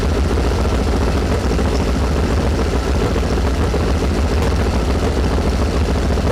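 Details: 1973 VW Super Beetle with an air-cooled engine of about 1900 cc, 40 IDF carbs, distributor timing not playing nice: low, uneven thrumming idle with an irregular lope; one cylinder side seems dead, and valves or carb are suspected, not confirmed.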